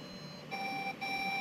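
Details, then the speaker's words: Lenovo ThinkCentre desktop PC, beeping starts when power cable plugged in and stops when unplugged, RAM installed: steady high electronic beep in long tones about every half second while powered, cause unknown; continuous beeping on power-up. "bunyi bip mulai terdengar sedang memeriksanya. Biasa kan?"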